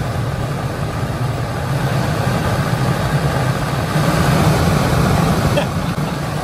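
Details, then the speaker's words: 2007 Lexus IS350, new aftermarket AC blower motor after replacing noisy broken one, tested out of the car on high: loud steady rushing roar, no grinding or rattling; spins freely, normal operation. "This is high. This thing is, I mean, literally it's like holding on to a drone. All right. It's surprisingly powerful."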